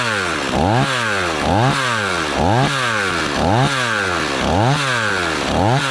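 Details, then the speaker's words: Stihl 026 two-stroke chainsaw after rebuild, warming up on thick fuel: idling fast and slightly uneven, surging about once a second; idle set a little high, chain just starting to turn, though saw seems happy. "let's just let her idle here now and see what happens it dies out on us or what seems pretty happy really fuel there still you're running the little fast"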